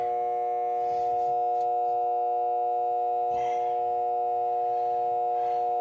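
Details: RV converter: steady, pure electrical whine holding one pitch throughout, an abnormal tone with the cause unclear.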